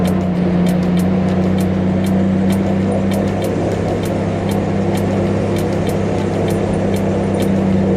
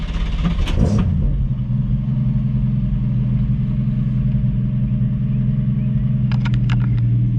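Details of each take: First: 1965 Mustang after restomod, stalling at idle, owner suspects carburetor, driven home: loud steady low drone at idle with irregular sharp ticks, airplane-like; misfire, spark plug cable to be checked first. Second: Restomodded 1965 Mustang coupe with a stalling-at-idle problem (owner suspects the carburetor): deep, steady, even idle rumble with no misses, knocks or hunting before driving it home.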